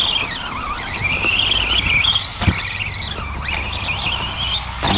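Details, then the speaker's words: Tamiya TT02B Plasma Edge RC car with a Surpass Rocket 4375kv 2845 motor, 80A ESC and Urgenex 2S 70C 5200mAh LiPo, accelerating and braking: a high whine that rises and falls with motor speed. The gear mesh is set tight but works. "hear the mesh tight, but it works."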